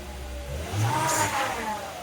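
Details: Volvo XC70 that had a stumble and P0303 cylinder 3 misfire code: quick throttle blip, revs climb smoothly and fall back evenly with no stumble or missed beats; normal revving.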